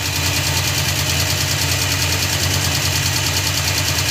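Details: Suzuki Multicab F6A 12-valve three-cylinder engine holds a smooth, steady idle with no knocks or misses.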